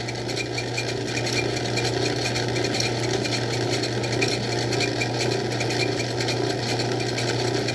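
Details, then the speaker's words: Old Craftsman 109 lathe, drilling/boring toward the tailstock: steady mechanical whir with faint rhythmic chatter about twice a second in the cut; operator suspects tool chatter, unconfirmed. "Oh, I hear something. Sounds like a cha-cha. That might be chatter. I've heard about that stuff."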